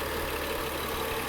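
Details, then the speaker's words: BMW X5/X6 E70/E71 N55 at idle: light, quick clacking over a smooth idle hum; the accessory belt tensioner has stopped holding tension and rattles. "all right now for another round of unexpected e 71 repairs if you listen closely there's this little quickly clack me sound"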